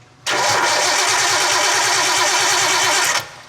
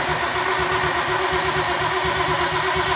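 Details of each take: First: Nissan R32 Skyline, first start attempt after 4 years: about three seconds of steady starter cranking that never fires; no spark, as 12 V at the coils drops while cranking, suspected main relay cutting out or heavy draw, with many cut wires. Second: Nissan R32 Skyline cranking after sitting 4 years, previously lost spark: starter turns the engine with steady, evenly spaced compression beats and no light stroke; normal compression, no dead cylinder.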